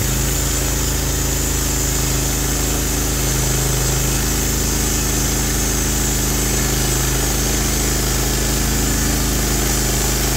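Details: Norwood HD36 v2 bandsaw mill with new roller guides replacing ceramics, cutting big black oak hardwood: steady even drone, no surging or chatter; cut exceptionally smooth, normal cutting under load.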